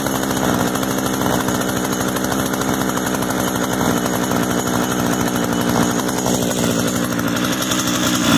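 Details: Echo gas trimmer after the switch was taken off stop and the choke turned off, with the idle being adjusted: constant high-pitched two-stroke buzz at steady speed with no stumbles or surging; normal running.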